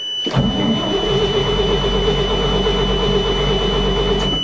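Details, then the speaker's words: 1979 Chevy 427 dump truck in winter, not started since June, with new plugs and a new starter, cranking on choke in neutral. Steady starter drone with a high whine and no firing; the fuel pump is not heard and the owner suspects the cold. "got new plugs new starter motor i don't think that fuel pump likes the cold damn it"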